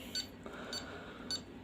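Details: Nellcor N-65 pulse oximeter after its defective on/off switch was replaced with a micro switch: three short, high beeps about every 0.57 s, pulse reading 105 with SpO2 99%; unit working normally.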